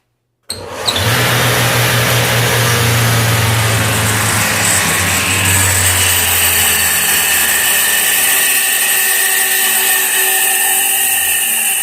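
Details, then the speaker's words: Iveco alternator with an overrunning clutch pulley, tested on the bench, which the customer says isn't charging: a high whirring whine with low hum spins up, then coasts down as the rotor keeps spinning after the pulley stops; faulty freewheel pulley. "Vocês viram? A polia parou aqui, lá dentro continuou rodando, né? A inércia, né? Continuou rodando. Fazendo barulho."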